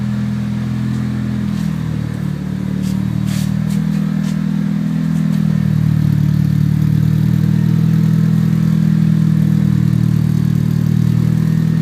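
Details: 1995 Eclipse GSX, 137k miles, Forced Performance 16G Evo III turbo, 3" exhaust: rough, uneven tapping about four a second over the drone; previous owner suspects spun rod bearing, bent valve also questioned, unconfirmed.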